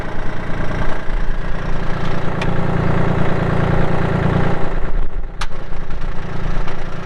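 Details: 2016 Kubota L2501 tractor, 162 hours, hydro, 4WD with LA525 loader: deep steady diesel rumble at even idle, no misses or knocking; healthy.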